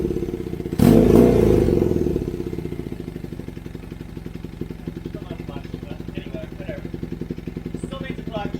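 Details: Kawasaki KZ440 with new custom high-mount exhaust: steady idle with a quick, even pop-pop-pop about four a second; exhaust leaking at a header joint only spot-welded, still to be welded up.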